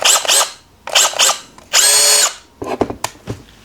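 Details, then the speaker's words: Makita DDF083 cordless driver (two speeds, 500/1700 rpm) after fully dismantling the nearly dry gearbox and greasing every planetary gear: short bursts of smooth high-pitched spin with no metallic rattle; normal gearbox operation. "J'ai dû démonter entièrement la boîte de vitesses et lubrifier chaque satellite. C'est seulement après ça que le cliquetis a disparu"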